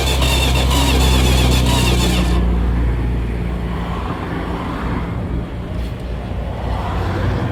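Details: Dodge 318 that died while driving; it has spark and fuel and a new ignition coil, and was cooled down and tried on ether after suspected vapor lock. Cranking at about four beats a second with loud coughs and puffs, never catching, with exhaust blowback out of the carburetor.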